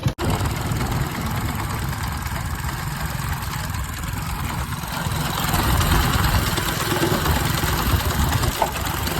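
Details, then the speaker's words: Motorcycle engine idling with a constant rough gravelly gear rattle, the output shaft jerking; engine opened three times before the fix. "सकते हैं कि यह जो output फफ्ट है वह कितना झटके मार रहा है इस तरीके से झटका मार रहा है और आवाज करता है अंदर से"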